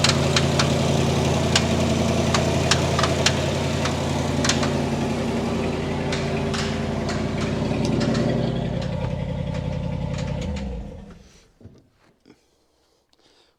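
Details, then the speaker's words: 1960 Chevy Brookwood wagon sat about 20 years, rebuilt carb, new points, electric fuel pump: sharp regular tapping about four a second over idle until shutdown, inside the engine; owner suspects rod knock, unconfirmed; a pushrod was found pushing oil. "I don't really want to keep running this thing in case it is truly a rod knock but I think it is a rod knock and that's no bueno"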